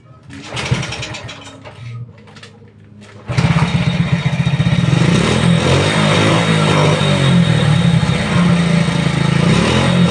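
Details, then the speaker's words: Motorcycle that would not stay running despite good fuel, spark and compression and a cleaned carburetor: after fitting a CDI from another bike, it fires and holds a steady, even beat; runs properly, so the original CDI was weak. "ang Ang ganda ng Tak ano na andar niya"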